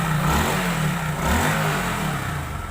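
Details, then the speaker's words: Hero Super Splendor engine just reassembled with timing set and oil filled, after crank noise: blips up and settles back smoothly with even exhaust beat; earlier crank knocking now completely gone. "और अब देखिए दोस्तों, वो जो इसमें किरण किरण की आवाज़ आ रही थी, अब इसमें बिल्कुल भी आवाज़ नहीं है।"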